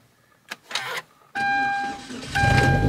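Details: Hyundai Genesis Coupe left sitting for years, started with a jump box after battery charging failed: short clicks and chime tones, brief crank, engine catches and climbs to a steady run; starts normally.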